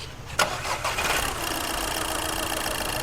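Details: Skoda Fabia with reported smoke, zero pickup and check-engine light: brief crank, then catches at once and settles into a steady even idle; healthy start.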